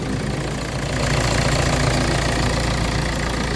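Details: 2014 Hyundai Santa Fe, push start, after repairing a no-crank no-start with lost communication: steady, even idle with a low engine hum and no misses or knocks; the engine sounds healthy.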